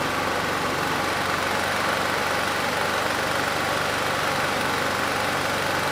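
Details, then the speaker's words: Rebuilt Honda GX390 clone 389cc generator engine (Generac GP6500), hemi head swapped to standard after dropped valve, governor tension reduced for slow speed: steady, even drone, no knock or miss; clean healthy run at low speed. "assuming it does start uh the engine speed is going to be a little bit slow I did take some of that tension off so if the engine sounds good we'll increase the tension a bit and just see how it does"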